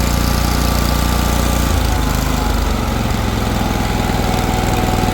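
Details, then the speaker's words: Exmark Lazer Z 52-inch commercial zero-turn mower, Kohler Command Pro engine (believed 24 hp), well cared for despite high hours: started on choke, fires right up and idles with a steady, even low rumble, no smoke, shaking, misses or knocks. Normal idle. "Pull the choke here, fires right up. No smoke, no shaking, I'll have it down for you."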